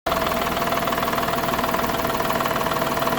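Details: Daihatsu Mira Gino L700S at idle with the AC on: regular pulsing rattle about twice a second over the hum; the noise stops when the AC is switched off.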